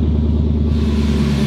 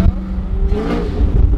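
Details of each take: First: Chevrolet Camaro cold start with header hanging off: loud coarse low rumble, raw truck-like bark with no muffling; exhaust leak at loose headers. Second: Camaro after engine leaks were fixed, revving: deep, smooth exhaust rumble that climbs cleanly with each rev, no ticking or puffing between pulses; the exhaust sounds sealed and healthy.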